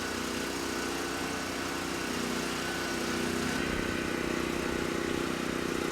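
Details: Titan TG8000Z 8000 W generator after carb mixture screw set to two and a half turns out, under load at about 61–62 Hz, 125–128 V: steady, even buzz holding constant pitch, no hunting or surging; engine healthy.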